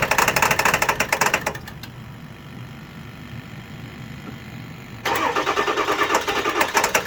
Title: 7.3 intermittent rough idle, sometimes stall.